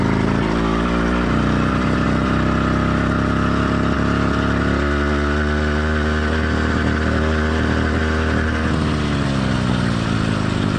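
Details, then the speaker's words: Warm two-stroke motorized bike kit engine, stock or lightly modified, single-speed, single-circuit carburetor: revs up and settles, smooth under load with slight uneven burble off throttle; light four-stroking, normal for this motor. "this bike and how it's running is completely normal for a stock or very lightly modified motor so you don't need to chase Your Tail trying to get rid of every last bit of four stroking"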